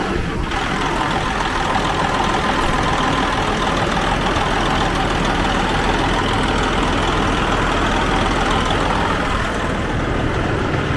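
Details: 2004 Freightliner Columbia diesel truck after starter solenoid repair, started with starting fluid while water still cold: steady, even diesel rumble with no misses, knocks or hunting; sounds good, normal idle.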